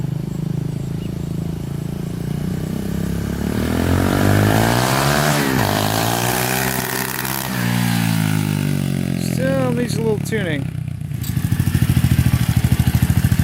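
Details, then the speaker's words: SSR 125 pit bike, which had died with the choke off, after pilot jet and carb cleaning: with the choke off it revs up and down cleanly and holds speed, running much better. "oh yeah that sounds like it's ripping now we think Brandon better it's much better much better better"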